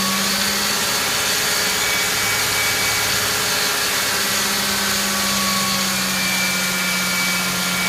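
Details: 1999 Ford Mustang 3.8L V6: thin steady high-pitched squeal holding over the idling engine, from the engine bay, source not pinned down.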